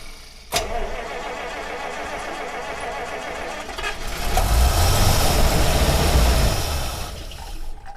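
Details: 1948 Buick Roadmaster Model 79 woodie wagon, 320 cu in OHV Dynaflash straight-eight, new battery, dry engine fed a gas-oil mix, only about a gallon and a half in the tank: cranks at a steady four beats a second, swells briefly, never fires; cause unconfirmed, low fuel level suspected.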